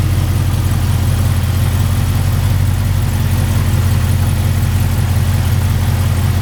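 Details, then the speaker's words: Supercharged Cadillac CTS-V V8 first startup after smaller pulley, RotoFab intake, rerouted PCV and ARH headers/exhaust, calibration loaded; loud deep even idle rumble, no ticks or misses, normal idle before dyno. "Sounds good. That's good for a startup. Yeah. So everything looks good."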